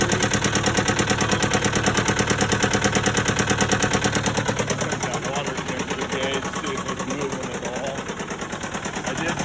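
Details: Case 188 four-cylinder diesel tractor idling before teardown, with new oil pressure and temperature gauges fitted: a lumpy, lopsided beat of about three pulses a second, missing badly and smoking. Number one cylinder appears not to fire at all.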